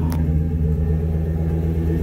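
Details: Work truck at idle: low, heavy rumble with a slightly uneven beat; rough idle, reportedly running rich, and the owner suspects it is burning up the coils and may need a fuel pump, cause unconfirmed.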